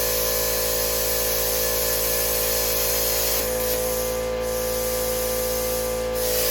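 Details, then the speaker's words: Bestarc 55A pilot-arc plasma cutter, plugged straight into the wall without the extension cord after the breaker blew, setting changed. Steady airy hiss over a constant electrical buzz with no sputter or dropouts; arc cutting normally, workpiece possibly greasy. "Wish me luck. I have no clue what I'm doing, but it sounds good."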